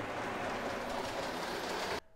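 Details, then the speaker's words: Lionel/K-Line O-gauge diesel locomotive on a track test pulling a bay-window caboose after cleaning and greasing: steady, even whirring with no grinding, then stops; much smoother and quieter than before. "Much smoother than before. It's also much quieter."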